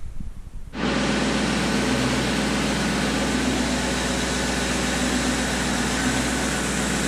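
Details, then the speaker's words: BMW E46 with a V8 swap, after refitting the engine, sump, driveshaft and fuel lines: it catches instantly and settles into a steady, even roar with no knock or tick, and the earlier odd noise is gone. "hea, seda lolli häält ei ole."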